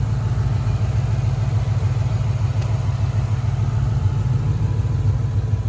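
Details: 2013 Ford Mustang GT 5.0 Coyote, manual, 81,500 miles, at idle: deep even V8 with a dull low thump about three per second; owner suspects rod knock or crankshaft, new for 2-3 months, worse after driving, car stalls after long drives.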